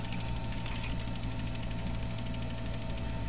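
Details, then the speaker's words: Bose Wave radio 3CD changer that won't take the CD makes rapid, steady, sharp clicking; the noise comes from a gear in the mechanism that is missing one tooth. "So the gear is missing one gear. Now it's like it's yeah, the gear is missing one tooth."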